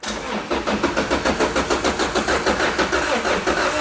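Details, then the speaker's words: Wrecked 2006 Lotus Exige with a Toyota engine that hasn't run for a while, oil level good: steady rapid cranking around three beats a second that never fires; no fuel, a weak jump box or a safety cutoff are suspected. "It hasn't run for a while, so it's spinning. Come on, Lotus Toyota. performance."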